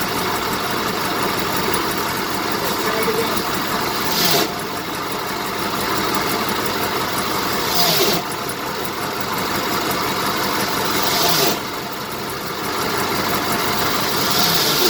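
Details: 1970 BMW 2002 at idle: a harsh rasping grind every few seconds, only while the clutch pedal is being released, which stops once the pedal is disengaged; source not pinned down.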